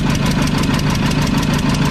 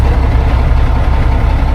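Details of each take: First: Mack tank truck diesel (believed 1995, 122,000 on odometer) while injector lines are tightened: heavy clatter at fast idle with an uneven beat as one cylinder misses; injection pump delivery valve found loose. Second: Mack tank truck, about a 1995 model with 122,000 on the odometer, started after sitting with new batteries and the dash disassembled. It has a deep, even diesel idle with no knocks or misses as oil pressure comes up. Engine sounds healthy, with a bad exhaust manifold leak.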